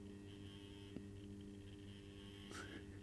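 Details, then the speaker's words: Accurascale Class 31 model locomotive creeping slowly in reverse on DC: faint steady electric buzz with low hum, sounding unhealthy; owner doubts the main drive motor is to blame and sees the guard iron touching the track; cause unconfirmed. "going it sounds so unhealthy but it it's I don't think it is the main driving motor that's to blame although I still think that guard iron is touching the track"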